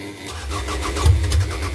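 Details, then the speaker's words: 1998 Toyota Camry no-start after fuel tank cleaning, new fuel pump and lines fitted, small fuel leak remaining, spark confirmed: starter cranks with uneven spits and brief catches that never settle into running; cause unclear. "yeah as you can see she's spitting every bit so hopefully the characters off try it"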